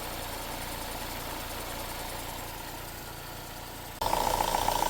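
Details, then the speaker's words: Vauxhall with code P0171 (system lean) after about 4 minutes running, before rocker cover replacement: lumpy uneven idle then warbling hiss, test hole sucking in paper; crankcase vacuum leak. "And here it is after about 4 minutes of running. You can see it's sucking there a little bit. See it got in the paper. And it sounds terrible."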